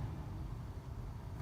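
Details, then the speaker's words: 2005 Dodge Durango blower fan after replacing the blower motor resistor: soft, steady low hum with no ticking or scraping on the middle speed setting; all speeds working, normal blower operation. "So we always had high, which I don't know if you can hear that or not, but high is working. Third is working. Second."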